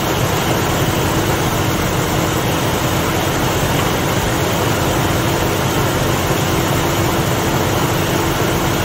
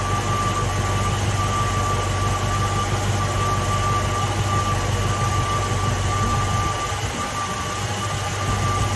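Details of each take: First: Ford Mustang (1966/67) 289 V8 automatic, cold start at about 70°F: loud, steady fast idle with constant rumble, no clear misses; running very rich, held up by a very lazy, slow-opening choke. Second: Ford Mustang (1966/67) 289 V8 automatic at idle during ignition timing and advance check: even, steady smooth rumble with no misses or stumbles; timing right on the mark; normal idle.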